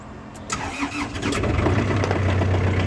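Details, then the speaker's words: Kubota tractor diesel after new ignition, radiator overflow hose and front hub seal repair, some smoke from tired engine: quick start then steady even low rumble, no misses or knocks; runs healthy, not overheating. "just starts right up and uh really sounds sounds good ready to work"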